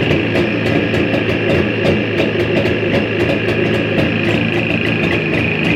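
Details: Jawa 350-638 two-stroke idling with sharp ticks at an irregular rate over the run; foreign noise in the engine, cause unclear.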